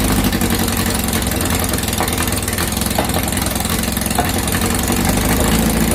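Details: 2332cc VW bug (Dust Buggy) after cleaning carbs and setting mixture screws, warmed up: steady even low rumble, no misses or stumbles; normal idle.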